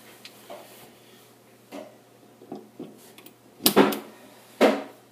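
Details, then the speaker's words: Kenmore Elite side-by-side refrigerator, compressor thought to have overheated, powered up with a Supco 3-in-1 start device fitted: sharp irregular clicks as the start relay engages, then the compressor runs. Normal start-up. "sounds like it's starting up clicking noises yeah that sounds like a refrigerator compressor running that's the sound I want to hear"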